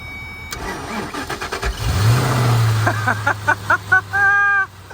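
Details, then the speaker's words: Hail-damaged, bone-stock Ford Mustang Shelby GT500 V8 on first start-up: starter relay clicks, brief crank, then it catches cleanly into a deep, steady rumble; normal engine start. "yeah dude it sounds beautiful oh my God it's bone stock too"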